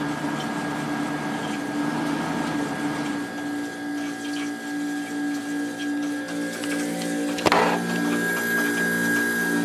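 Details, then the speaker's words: Reassembled late-90s Whirlpool Accudry 40-pint dehumidifier, reciprocating compressor (likely Embraco; Emerson fan), running quite a while, about 6.4 A and 469 W: steady, even hum with constant tone, no knocks; compressor running smoothly. "Been running for quite a while now. Let me see if I can get you a compressor sound without the fan running."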